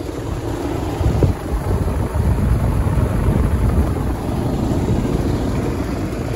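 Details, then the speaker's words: Old Rheem Classic outdoor AC condenser running after new capacitors were installed, which fixed the unit not turning on; steady low rumble of fan and compressor, no knocking, buzzing or cycling, slight mic wind; running normally. "all right here's the final update got the ac running new capacitators installed nice and warm this old raheem classic still running"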